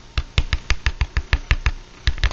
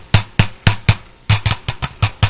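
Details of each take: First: Vintage CTS Alnico magnet speaker, healthy: finger thumps on the cone give clean, deep, drum-like knocks with no buzz or rattle, and the suspension moves freely. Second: Blown speaker from a Lab Series L7 with a burnt voice coil that still measures reasonable DC resistance. Tapping the cone gives a harsh buzzy rattle, not a clean thump, and moving the suspension rubs audibly.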